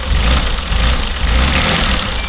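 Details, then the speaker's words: Mazda Bongo 2.5 V6 after replacing parts: rough, lumpy idle with uneven low thump and stumble every few beats; misfire unchanged, fuel injectors to be checked next. "still is sounding a little bit better but we still got that mire yeah that's made no difference whatsoever"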